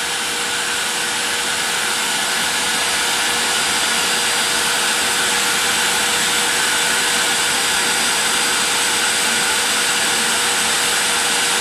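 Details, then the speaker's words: Vacuum forming box pulling heated, sagging plastic sheet down over molds for P-38 parts. A loud, steady vacuum roar with a faint constant tone, the swoop of a normal draw-down. "what i'm looking for as soon as i set it on there you're going to hear a swoop sound it'll be the vacuum sucking it down"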